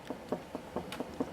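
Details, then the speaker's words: 2006 LG WM14225FD 1400 rpm front loader, 11 years old, after spin, door open: dull knocks four or five times a second as the drum is rocked by hand, showing play in the rear drum bearing, noisy on spin for months; worn bearing. "although what that is that's actually playing the rear bearing that's not the spring that's actually the slight movement in that rear bearing there shouldn't be any movement at all"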